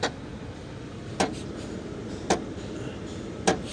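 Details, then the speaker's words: Grand Marquis with AC blowing warm despite good pressures and a cold low side, during the HVAC self-test: sharp clunks about once a second from behind the dash over a quiet blower hiss. An actuator fault is suspected, not confirmed. "if you listen you're hearing a clunk and a thump and a bump and all kinds of noise here"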